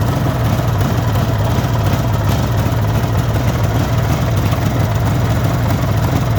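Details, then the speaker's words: 1974 Suzuki GT750 two-stroke triple, restored about five years earlier, still cold with choke off on a warm day: steady, even low burble at settled idle, no knocks or misses; owner says it takes over normally once warmed; normal idle. "believe me it does take over normally once it's warmed up"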